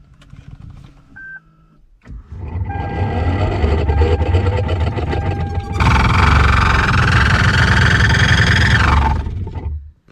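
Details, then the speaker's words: 2013 Lexus CT200h AC blower motor before replacement, had grunted and then shut off: blower spins up to loud rough grinding roar, wavering tone rising with fan speed; worn blower motor bearings. "it just went out just turned off it made this loud grinding sound usually the bearings go out on those fans"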